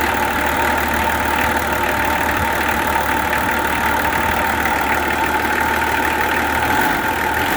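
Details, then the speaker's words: Nissan LD28 diesel truck engine, just started after glowing with a partly repaired starter, idles with even, steady clatter and no misses or knocks; sounds like a healthy engine with good compression. "Not only is that running now, but it sounds good. It sounds like a good engine."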